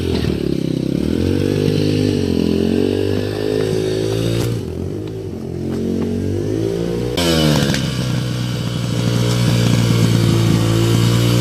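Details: 2005 Yamaha 125cc dirt bike after fuel valve leak repair, yard test; idle piece broken, awaiting part: single cylinder revs up and down cleanly, crisp pickup, no misses; sounds great.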